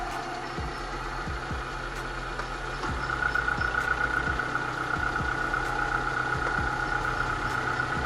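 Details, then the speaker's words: 2005 Suzuki APV idling: steady rough grating hum with irregular light ticking about four a second; owner suspects a failed AC compressor bearing, not confirmed. "kalau dari luarnya gila gua rasa si suaranya dari sebagai lahar Aceh dengan kompresor AC"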